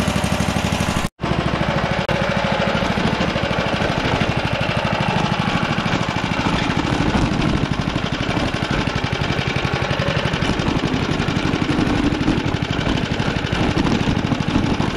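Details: Inherited vintage heirloom lawn mower after revival, throttle cable needing oil, holding a smooth, even small-engine drone at steady speed with no misses, knocks or surges before mowing; running healthy.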